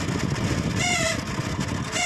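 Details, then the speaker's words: Microwave oven cooling fan run with high-voltage transformer disconnected: low motor hum with short squeaky chirps about once a second and fan slowing; dry squeal from a worn fan motor bushing. "दोस्तों यहां ये fancy आवाज आ रही है तो दोस्तों मैं fan को इसको बाहर निकाल लेता हूं फ इसको हम करते हैं रिपेयर फैन को इसकी स्पीड भी कम हो जाती है"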